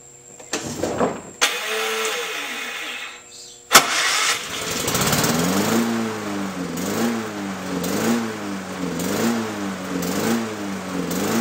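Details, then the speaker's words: Lawn-Boy mower after freeing a stuck part with penetrating oil: no longer over-revving at start, but the engine speed rises and falls roughly every 0.7 s, hunting instead of holding steady; surging typically points to a dirty carburetor. "okay so it's no longer over-revving it is surging that's typically a problem with dirty carburetor"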